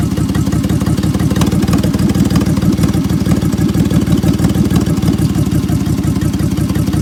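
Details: 2003 Honda 3.5L V6 at low idle with misfire codes P0301, P0302, P0303 and P1399 on bank 1: uneven, stumbling beat of about three pulses a second instead of a smooth hum; misfiring.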